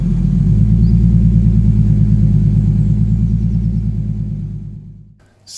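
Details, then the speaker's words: TVR 290S on MS2 (Megasquirt) engine management with TFI black CCD ignition module and wrapped manifolds, now starting well after months of trying: low, even firing pulse about three a second, smooth and steady before winding down; normal idle, more tuning still needed. "that's it after months of trying to get the tvr to run right it's idling free revan fine now it starts up really well as well"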